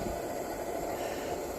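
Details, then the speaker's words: 1948 Major 236 lantern: even steady hiss-roar with no sputter or pulsing, pressurized burner running cleanly. "I love the sound of this thing you hear that steady little what you call it Funk to it love it"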